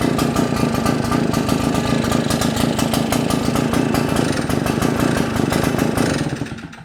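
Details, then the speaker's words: Shindaiwa EB802RT commercial backpack blower with Walbro carb, idles but dies on acceleration, run without air cleaner and spark arrestor: loud, ragged drone holding one rough speed, then fading out; no improvement except louder, carb suspected. "Nope, not much of a difference, except that it's louder."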